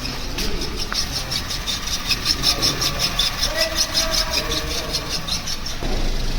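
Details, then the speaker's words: Maruti Wagon R automatic at idle with a dry, rapid 'kach-kach' chatter about three a second from a worn clutch release bearing. The fix was replacing the clutch, clutch bearing, flywheel bearing and main oil seal, after which the noise was gone. "यह अगर आवाज आपको सुन पा रही हो कु कच कच कच आवाज आ रही"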